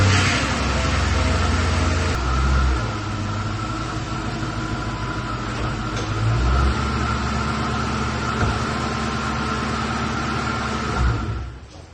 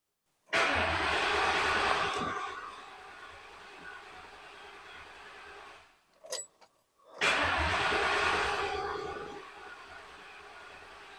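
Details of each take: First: Police car with 45,000 miles, after a new fuel pump and filter and a fix to a mismatched plug: it catches quickly and settles into a smooth, even idle with no knocks or misses; no check engine light and good oil pressure. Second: Police car with 45,000 miles rescued from junkyard, old gas drained and fuel pump heard priming: two long cranking bursts of steady starter churning with no catch; cranks but won't start.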